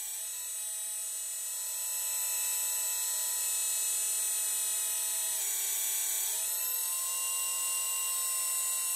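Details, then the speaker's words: Small hydraulic pump on an RC Hidromek excavator, after air was bled by running the cylinder through full travel, hums with a steady high whine, smooth and free of gurgling: clean flow, normal cavitation, no more air bubbles. "okay so that pretty much should now give us clean flow there you go plenty of medium normal cavitation no more air bubbles"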